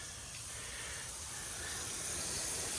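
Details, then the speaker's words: Drip irrigation line under water pressure: steady high-pitched hiss from a slice in the tubing; repaired by cutting out the damaged section and installing a new coupling. "there's another one you can see it's a bit of a slice so again we're going to have to cut it and put a new coupling in there"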